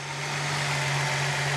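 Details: Datsun 280ZX after replacing charcoal canister and battery/terminals and adjusting idle screw and BCDD, previously idling at about 2,000 rpm: steady, even idle with a smooth low hum, no misses, knocks or hunting; timing check still pending.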